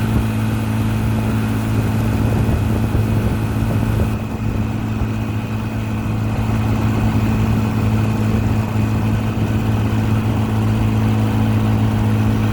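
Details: 1955 Johnson QD 16 10 hp outboard, after new condensers, carburetor kit, water pump and seals, pushing a 14 ft Blue Finn deep V at 13–14 mph: low, steady two-stroke drone with an even burble, no misses or knocks; revs pick up out of the wind. Runs strong.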